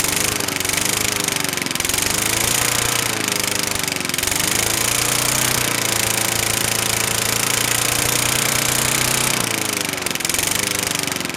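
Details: Craftsman 21-inch lawn mower, 4–6 hp Tecumseh engine, unstarted for 12 years and stored outside: fast, fairly steady single-cylinder chatter with pitch wandering slightly as it settles, exhaust spitting probable rust; normal running.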